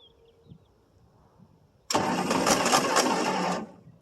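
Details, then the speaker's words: 1963 Ford Thunderbird, 390 four-barrel, cold start after about 3 years sitting, carb primed with poured fuel: about 1.5 s of steady cranking with no firing; cranks but won't start, owner suspects it needs more gas down the carb. "Maybe she needs a little more gas down the old carb there."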